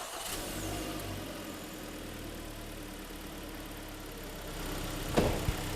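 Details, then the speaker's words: Hyundai/Kia G4KD engine just after overhaul, first start after fresh oil and antifreeze, cold: catches and settles into a smooth, even idle with no whistles, squeaks or knocks; should quieten further as it beds in and warms; normal idle. "сейчас никаких свистов писков мотор протирается будет все работать тише и тише"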